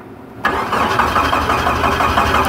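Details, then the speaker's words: Jeep no-crank diagnosis on jump pack after dead battery, starter powered via yellow-red circuit past an open at the jumper connector: starter engages sharply and cranks with steady even chugging rhythm; normal cranking. "Um on the yellow red side of this circuit, I can make this thing crank."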